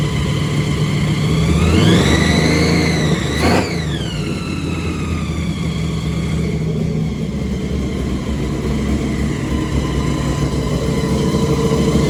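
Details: Supercharged big-block V8 truck after Terminator X EFI conversion, restarted with a fresh tune, idling around 1500 rpm: blips up and drops back, then holds a steady even rumble with no misses; running normally after re-tune.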